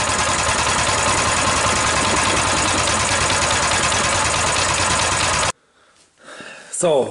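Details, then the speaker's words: Coleman BT200X minibike after a crash in mud: loud, lumpy running about two beats per second, then cuts out. Governor arm not pulling back, spring looks stretched, revs up on choke; owner suspects running rich, stuck float or valve issue. "what did we observe we observe that when the engine is running this Governor isn't pulling back enough to let the engine idle there's always this constant tension on here"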